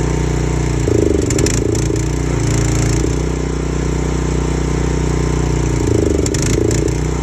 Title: What is going on with my 4gpm pressure washer. It has a rough idle